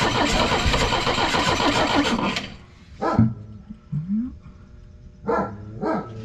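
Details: Pinzgauer petrol engine after fuel pump replacement, first run in about 3 years, cold: busy, even engine beat for a couple of seconds, then fading under background sounds; runs normally.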